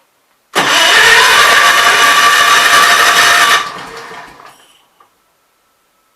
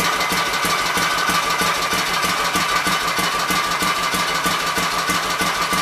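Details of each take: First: Kohler K241 single-cylinder engine, owner thinks off a Gravely 810/8102, on a workbench at idle with gasoline poured in: small single fires, runs ragged about three seconds, then fades and dies; running lean from fuel starvation, believed fixed main jet carburetor. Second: Kohler K241 single-cylinder engine, likely off a Gravely 810, revived after mixture screws set to three turns: even, regular popping beat at steady idle, no misses or surging, not really smoking.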